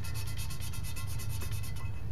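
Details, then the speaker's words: 327 engine build, hand-lapping the small exhaust valve with a suction-cup lapper: quick, even back-and-forth rasping about seven strokes a second, smooth and consistent; valve lapping in evenly against its seat. "I did put a little spit but maybe I didn't maybe my spit's not any good I don't know sounds pretty good though has a good sound to it I don't know if you can hear that sounds good"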